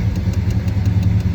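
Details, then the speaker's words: Truck after motor swap, long-tube Hooker headers and Hooker mufflers, dual outlets, just started: steady, even low rumble at a high cold idle on electric choke, expected to drop to about 800 rpm; normal, no knocks or misses. "that's a high idle with the electric choke and she'll fall down to about 800"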